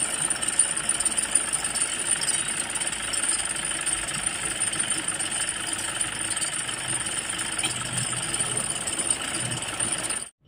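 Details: Toyota diesel (Innova/Fortuner/Hilux) idling with a harsh, uneven clatter and rattle from a slipping alternator one-way clutch pulley.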